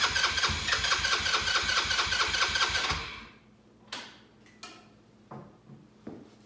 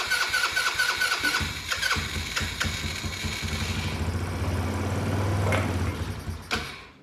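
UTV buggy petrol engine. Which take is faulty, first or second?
second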